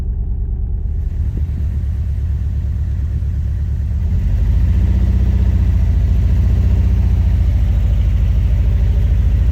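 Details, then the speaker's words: Nissan 180SX Type X (S13) SR20DET with a rough, shaking idle that chugs like a lawn mower and gets louder: misfire; plugs, coil packs, wiring and injectors suspected, injectors the likely cause but not confirmed. "i don't know if you can hear it literally sounds like i'm driving a lawn mower like i'm trying to get into the garage listen to this this is shaking so bad the car literally sounds like a lawn mower"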